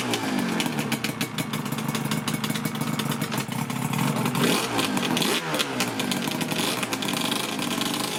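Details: Yamaha RZ350 two-stroke after an engine rebuild (Banshee crank), first ride of about 0.9 miles: crisp, even crackle with clean throttle blips, no misfire or knocking. Rider says it ran really smooth. Normal two-stroke running.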